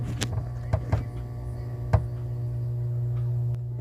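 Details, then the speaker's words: TRC-389 powered speaker with a constant low mains hum after a big thump as the capacitors charge. Replacing capacitors did not fix it; the cause is an unconnected ground between two internal supplies. "mas quando esse carrega ela dá um soco muito grande e fica roncando"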